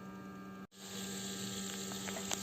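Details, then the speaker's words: BMW 520i E60 during coolant change and bleeding, ignition on, engine off, heater at max, fan at minimum: auxiliary electric water pump gives a steady even hum with faint whir and water movement, no rattle or grinding; pump working normally. "là on l'entend parfaitement comme si cette pompe fonctionnait."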